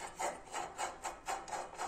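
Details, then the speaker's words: AS Motor Freerider 800 hydrostatic transmission, disassembled: gritty rasping rub about three times a second as the part is spun by hand; a bearing growls and needs replacing. "entendez a longuement qui grognent maintenant donc il ya un roulement a changé"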